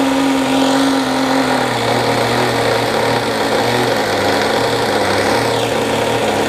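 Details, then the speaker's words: OS Max SF 40 ABF glow engine on a trainer plane, early startup, about 2° cold and wet, untuned; buzzing at high idle with an uneven, wavering beat, no clean steady note; owner believes it runs quite rich. Rough idle. "I know it's running fairly fairly rough right now believe it's quite Rich it's also very cold today as you can see it's like 2° out very very wet so obviously the plane's not going to run very well"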